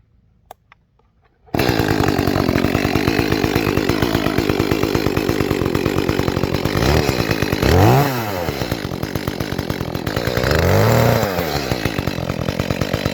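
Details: Echo CS-310 chainsaw after cracked purge bulb replacement, cutting cherry: screams at high revs then sags and burbles under load; sounds a little rich on high-speed jet, to be leaned with tuning screwdriver.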